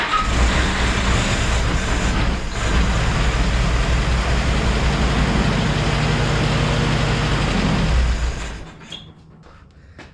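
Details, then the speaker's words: 1948 Willys CJ2A with its lines hooked back up, now started from the gas tank: it runs rough for about eight seconds, then fades and dies with a sizzling crackle. The owner suspects a cooked distributor, points, condenser or coil. "I heard a nice sizzling then it died"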